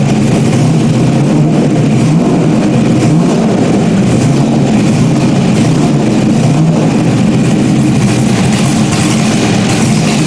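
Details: Stock-block 5.3 V8 race car just rebuilt after almost a year, idling after its first start: deep, loud, steady rumble with a lumpy but even beat, no knocks or rattles. Healthy normal idle.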